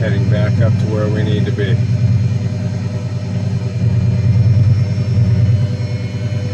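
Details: Lamborghini Gallardo pre-LP 5.0 V10 first started after an alternator replacement: deep, even rumble swells cleanly with the blips and settles back, no knocks or squeals; normal idle and rev, the new alternator fixed it.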